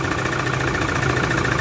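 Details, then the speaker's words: Toyota Fortuner 3.0 diesel at idle with code P0200 injector circuit malfunction: uneven, shaky idle with a lumpy, motorcycle-like beat, one cylinder not firing; misfire from injector circuit fault. "Okay so kung maririnig niyo talaga yung andar niya H hindi talaga siya normal talagang abnormal yung andar sa loob guys so mapapansin mo parang andar ng motorsiklo na may bali ba o parang may problema mismo sa loob ng combustion champer"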